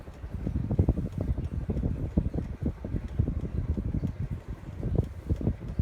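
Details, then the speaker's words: Codep Stratosphere 52-inch ceiling fan heard up close: a soft, gusty rush of air with no ticking, rubbing or wobble, moving air normally. "But first, let me bring it up close so you can hear the air movement."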